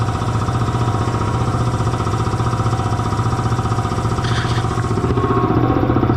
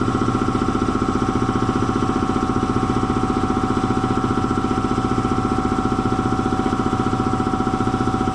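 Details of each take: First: Belt-driven air compressor after tightening the loose drive belt and changing to synthetic oil: steady even thump about four a second, no slap or squeal, reaches 175 psi cut-off; runs normally after fix. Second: Belt-driven air compressor after oil change to synthetic, still slowing down: steady pumping thump around 220 per minute losing speed; drive belt found way loose and slipping, to be tightened.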